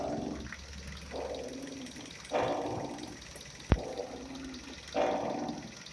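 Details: Kia Rio 4 front suspension: creaky squeal about every second as the wheel is turned, otherwise quiet; the upper strut mount was suspected, but the cause was the ball joint, later replaced; ball joint squeak.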